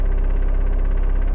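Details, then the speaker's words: 1.6L turbo diesel idling warm before high-idle adjustment, recorded inside the cabin: deep lumpy idle with a fast buzzy dash rattle from low idle speed; worse when cold as it idles even lower. Fix is raising the idle screw. "okay and then imagine it being like cold and it rattles all way worse because it's actually idling even lower"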